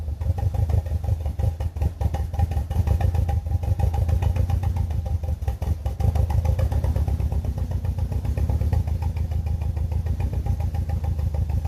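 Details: BMW E46 318i with N42 engine: rough, lumpy idle with an uneven chuffing beat, from a misfire caused by one dead ignition coil.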